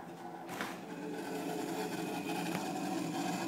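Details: Refrigerator making an uneven scraping, rattling drone at a steady level in a quiet room, something mechanical rubbing; turning the temperature down stops it only briefly before it returns. Abnormal running noise, cause unclear.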